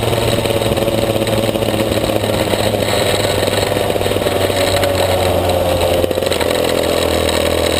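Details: Maxter KZ2 two-stroke kart engine, clutch test; steady buzzing drone at fairly constant revs with no clean pickup under load: slipping clutch.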